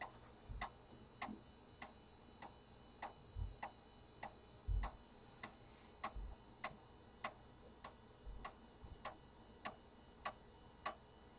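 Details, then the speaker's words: Compaq Deskpro floppy drive formatting a system disk (format A: /S); loud, steady ticking about a hundred a minute, probably the loudest floppy drive owned but working normally. "That drive is so noisy. You guys hear that? Probably the loudest floppy drive I own. But it works."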